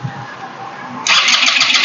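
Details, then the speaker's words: GPX Drone scooter that won't start: the starter whirs hard and fast but the engine never catches, with no spark at the plug and no fuel from the injector; the ECU is suspected, and OBD can't read it. The battery had been flat and was charged. "ไม่มาหัวเทียนนะครับไฟไม่มาหัวหัวเทียนนะครับ"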